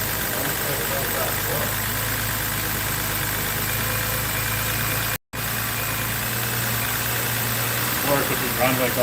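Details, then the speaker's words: BMW X3 3.0L six-cylinder right after a spark plug change, first start: uneven, lumpy idle with no steady rhythm, possible misfire; mechanic suspects another intermittently bad ignition coil, to check with scanner. "Might have another bad coil, too. I'll have to check it out."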